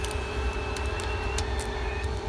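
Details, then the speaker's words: Carrier Infinity HVAC unit purchased 2020: steady blower rumble with a thin constant whistle as unfiltered return air leaks through a poorly sealed air handler base box, worse with tape applied. "leaking air cuz watch hear it. It was worse when I put this tape on"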